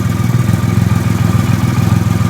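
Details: 2008 Triumph Rocket III triple idling after the starter relay mod bypassing the OEM relay, restarted to compare starter revs: deep even pulse about a dozen beats a second, no stumbles or clatter, healthy idle.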